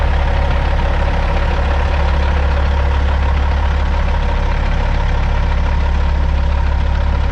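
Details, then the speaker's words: 2004 Kenworth W900L with a CAT C-15 diesel, a project truck just started before being brought into the shop: a deep, steady idle with an even low beat of about 2.5 per second and no knocking or misfire. It sounds good, just like it should. "so we got her started but uh didn't get it on film so that's unfortunate but also the way she goes but she is running sounds good just like she should"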